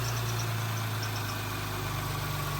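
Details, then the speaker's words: Crash-damaged Audi S5, first start after turbo rebuild with new seals and fresh 5W30 oil, no coolant yet: steady smooth idle hum with faint intermittent chirp/squeak suspected from the belts; engine sounds healthy, normal idle. "Oh, got a bit of a squeak. Probably just the belts. Yeah, sounds like the belts, but engine sounds sweet."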